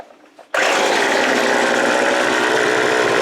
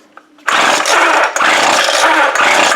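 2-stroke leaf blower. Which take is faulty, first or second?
second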